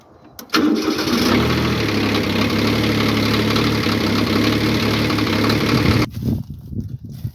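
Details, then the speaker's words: Kubota B7100 diesel tractor on a new cheap group 51R battery, no trickle charger, day-4 freezing start at about 26 °F: brief crank, catches right away, steady even diesel clatter; normal cold start, one of 5 frozen mornings in a row. "Alright, I fired it up 5 frozen mornings in a row. 2 of those days I used the tractor later in the day."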